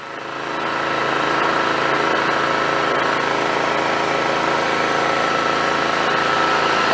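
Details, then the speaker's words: John Deere GT262 lawn tractor small engine, just after everything was hooked back up, settles into a steady, smooth, even buzzing low idle with no misses or knocks; it sounds healthy. "that sounds pretty good hell I might not have to do anything"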